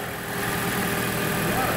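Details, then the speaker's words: Gasoline Toyota Corolla donor engine idling in a car that took a side impact with the engine undamaged, before being swapped into another Corolla: steady, even idle with a smooth low hum, no knocks, ticks or misses; sounds healthy. "ah então tá tudo funcionando aqui marcelo tudo funcionando beleza"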